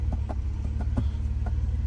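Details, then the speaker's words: 1990 Mercedes 300E (W124) at idle: sharp light clicking ticks about six a second, in sequence like tapping on the dash, as if something electrical is trying to fire; owner suspects the coil pack is making the noise. "so one is like I get this clicking noise like as if something electronical is trying to Fire"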